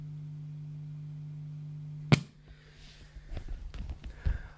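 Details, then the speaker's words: PRS MT15 amplifier, FX loop with something plugged in, after preamp tube swap, half/full power mode: steady low residual hum about two seconds, then thump and handling noise; effects loop hum. "If something's plugged into the effects loop, I'm not sure if you can still hear it, it's a small amount of hum."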